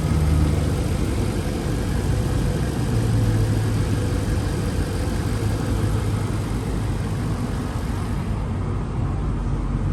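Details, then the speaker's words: 1997 Jaguar XJ8 V8 after starting right up: smooth, quiet, even idle with barely audible exhaust and no knocks or ticks, normal idle. "engine sounds nice and quiet runs very smooth car has lots of good power for v8 it's very quiet you can barely even hear the exhaust note out back here"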